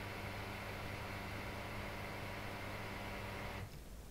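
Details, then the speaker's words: Graf Eco-Plus rainwater harvesting booster pump, running at just over three bar filling a toilet from the underground tank, hums evenly and runs on a few seconds after flow stops, then cuts off cleanly; normal run-on before shutoff. "once the toilet's filled we'll see the pressure just build up slightly just there and now the pump just runs on for a few more seconds while it detects that there's no flow of"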